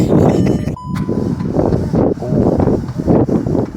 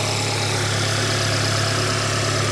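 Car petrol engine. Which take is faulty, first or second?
first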